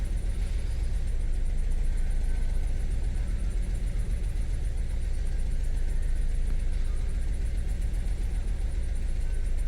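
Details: 2012 Suzuki Swift 1.4 litre petrol with engine light on, scanner shows P0302 cylinder two misfire; low, uneven, lumpy stumbling idle: misfire rough idle, cause not yet confirmed, compression test planned.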